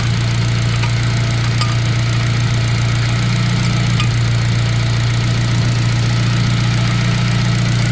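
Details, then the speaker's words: Sleeper turbo Honda making 300 lb-ft of torque. A deep, steady idle hum stays even for eight seconds with no stumbles or skips, running smoothly and factory-like. "This thing is so freaking smooth. I'm telling you, like, I say this all the time, but you wouldn't know unless you saw this car in person, guys. This thing is like factory, but it makes 300 foot-pounds of torque."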